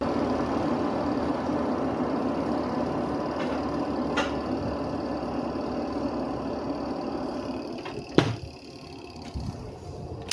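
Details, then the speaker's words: Washing machine spin dryer after removing wrapped cloth: spin tub runs with an even whir, no rough rumbling or rubbing; normal spin after repair. "Nah, setelah kita lepaskan kain yang melilit itu sekarang ayo kita tes. Kita lihat hasilnya seperti apa. Tuh langsung mulus suaranya, Guys."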